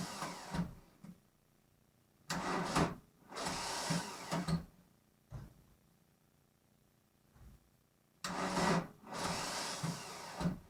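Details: VW Golf Mk1 1.9 turbo diesel, cold start after 5 months of winter storage: repeated short bursts of slow, heavy, laboured starter cranking that never catches, with pauses between tries, straining the starter and battery.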